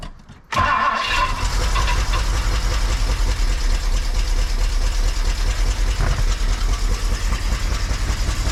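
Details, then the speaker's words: 1964 Mercury 390 FE big block after head gasket replacement: cranks, catches and settles into a lumpy, uneven idle with an irregular stumble, like a cylinder missing; rough running. "oh I don't necessarily like that it sounds like he's missing I'm going to cut it all right guys it is the next day um so the engine was running a little rough uh felt like it had a Miss yesterday"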